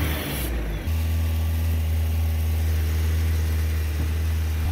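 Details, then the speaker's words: 1987 Toyota pickup 2WD with 22R carbureted engine that won't idle, needing throttle held: low, lumpy idle with uneven beat dipping as if about to stall; vacuum leak search found none, distributor cap contacts worn; unstable low idle. "try to do a lower idle where it's like almost dying"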